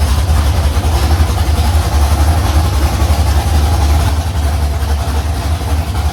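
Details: First start of a carbureted LS V8 in a Fairmont on open headers (1-7/8 in primaries, 3 in collector), fuel pump off because of carburetor leaks, about 40 psi oil pressure: a loud, deep, choppy cam-beat idle running steady. The idle is normal and healthy.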